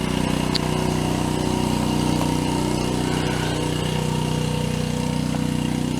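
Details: Small generator: steady, even small-engine drone with a regular beat and no belt squeal; normal running.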